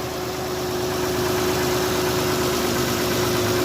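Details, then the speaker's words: 2015 Dodge Grand Caravan 3.6 V6 at idle, no check engine light: faint quick tapping keeping pace with engine speed, seeming to come from the back; broken rocker arm in the valvetrain, rocker arms and hydraulic lifters replaced. "It sounds normal for right now, but yes, there is a tapping sound in this engine."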